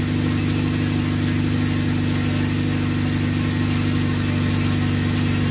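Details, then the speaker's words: Ten-year project four-door car with RBC intake manifold; smooth, even low drone with a steady pulse and no misses, knocks or ticks, and no leaks seen, a normal healthy idle. "Sounds good. Sounds good. I don't see any leaks down there. Yep. Sounds real good."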